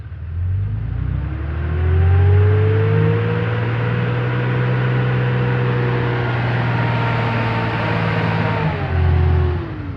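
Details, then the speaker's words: 4th-gen diesel truck with coolant temperature sensor unplugged so ECM commands fan clutch 100%: revs up and holds, then a deep rushing roar swells as the fan clutch locks in, working as it should. "And you can definitely hear that fan clutch is kicking in. So that's about the best test you can do on these."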